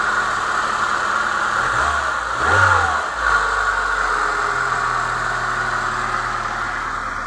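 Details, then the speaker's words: Chevrolet Niva petrol engine that knocked when cold up to about 60°C near cylinder one, after the cause was found and an older part with a tightened spring was fitted: it idles steadily with no knock, with one rev blip. "Всё работает классно."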